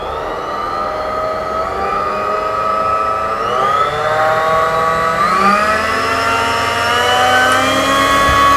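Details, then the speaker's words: Newly assembled mini bench drill running with no load as the speed control is turned up to its highest setting. The smooth, even motor whine climbs in steps with no knocks or grinding: healthy. "तो अब जरा मैं इसको start करता हूँ और अब मैं इसकी यहाँ से स्पीड बढ़ाऊँगा। ये देखिए, स्पीड बढ़ा रहा हूँ।"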